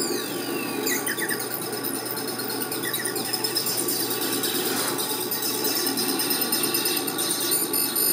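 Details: Laser galvo mirrors driven by an audio amplifier: thin, tinny chirping and buzzing that follows the music's notes; mirrors moving and responding to the signal normally.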